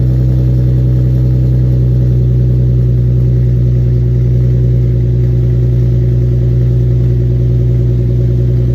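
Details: Infiniti G35 Coupe cold start after fixing an exhaust leak: deep, steady drone with an even low tone and no ticking or puffing; exhaust sealed, normal exhaust note.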